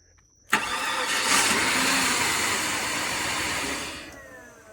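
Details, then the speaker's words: Flood-damaged 2004 Cadillac DTS convertible after repairs, including a cleaned MAF; the instrument cluster is acting up. It cranks, catches, idles steadily about 3.5 seconds, then cuts out cleanly, the same every time. Suspected anti-theft system shutoff, though no security light shows. "It starts, runs for a few seconds, same amount of time, shuts off. That's anti-theft behavior."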